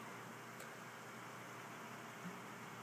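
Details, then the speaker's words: New Dynatron ball-bearing CPU cooler fan, replacing a cheap one that whined, under load while rendering a 720p video: soft, steady airy whoosh, no whine or rattle; much quieter than the old fan, running healthy. "I can hear it but it's not that loud that's pretty sweet much much much quieter than the old one yeah it doesn't make a wine or anything like the old one did"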